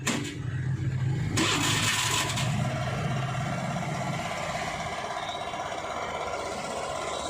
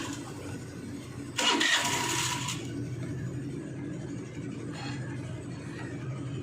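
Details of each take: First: Hero Maestro Edge BS6 scooter started after sitting two to three days, quick start and brief rev, then a steady, even idle with no stumbling; normal idle after fixing the hard-start fault. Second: Hero Maestro Edge BS6 scooter with hard starting and choppy acceleration: a long starter whirr before it catches, then an uneven sagging idle.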